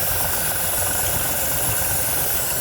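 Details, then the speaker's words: 1971 Jeepster Commando with Dauntless V6, after long ranch storage, on a road trip: steady idle with lopsided exhaust pulse, one cylinder not pulling, with new ticking; misfire traced to a bad spark plug, distributor cap also loose. "we found stuff that was actually wrong we found the bad spark plug"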